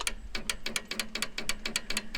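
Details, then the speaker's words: Allis Chalmers 190XT diesel tractor being revived, batteries with damaged positive cable, key turned: sharp rapid clicks five or six a second, no cranking at all; starter only clicks, cause not confirmed. "Just clicking right there."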